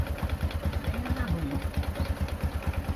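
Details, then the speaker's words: Honda Supra X125 motorcycle engine idling with a steady, hollow tek-tek knock on each firing pulse, resembling a connecting-rod knock but judged to be piston slap from a worn piston. "tapi sebenarnya ini suara piston tengkleng kristalnya sudah Awas ya jadi dia ngeflek kalau bengkoknya tengah"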